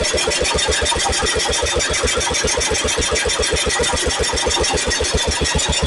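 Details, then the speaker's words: Cub Cadet with Kohler K161 single-cylinder after new head gasket, cleaned carburetor and new condenser, points unadjusted: starts instantly, quick even chugging with no pops or backfires; normal running. "but my God it just it just literally lit off and no popping no backfiring"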